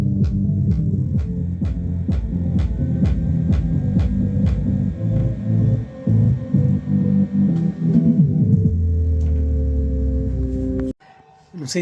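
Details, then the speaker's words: Tornado 4000 15-inch subwoofer playing music: rough crackling buzz on bass hits, caused by an overly long lead wire slapping the cone. "se vocês conseguiram perceber, mas o altofalante ele tá dando um pipoquinho na hora de dele tá funcionando."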